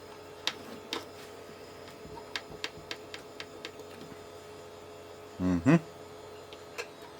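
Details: Original Xbox with flashing light, previously opened: low hum with sharp ticks about every half second and short grinding bursts as the disc drive changes direction and fails to read; suspected broken drive belt.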